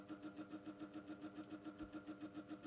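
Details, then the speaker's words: Micromark fan after motor servicing, on low speed; soft even pulsing beat about six times a second over a low hum; the noise returned despite the repair, cause unclear. "Oh. That's clearly not fixed itself."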